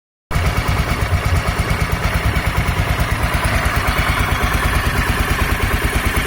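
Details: Honda NX 250 Dominator single-cylinder, noise apparently traced to the tensioner: even steady idle thump at about three beats a second, no top-end rattle; normal idle.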